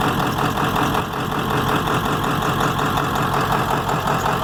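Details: 7.3 diesel at idle: heavy clatter with an uneven, lumpy, wandering beat and blowby; rough idle, cause not pinned down.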